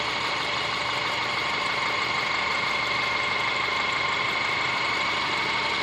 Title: Стук мотора Subaru Forester SG5 EJ25